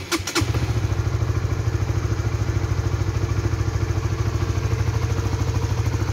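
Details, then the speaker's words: Honda 150cc motorcycle (Supra GTR 150/Sonic/CB150R class) warmed 3–5 minutes on its second fill of Shell Advance oil, only 1700 km in: heavy, uneven thumping idle with a rattly edge; engine sounds very rough, owner suspects worn-out oil. "nah ini pemakaian oli shell Advance yang kedua ya sekarang baru mencapai 1700 kilo tapi suaranya Udah Kasar banget ya di mesin"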